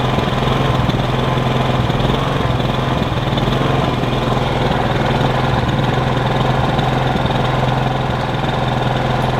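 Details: Kipor Sinemaster IG2600 digital generator, about 2 kW, age unknown, after sitting years in a garage, first start after checking for fuel leaks: steady, even engine drone at constant speed with no misses, knocks or surging; running normally.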